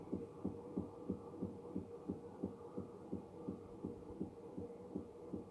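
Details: Electrolux washing machine only two months old: steady rhythmic thumping, about three knocks a second over a low hum, repeating evenly as the drum turns; source unknown, service says it is normal, owner disagrees.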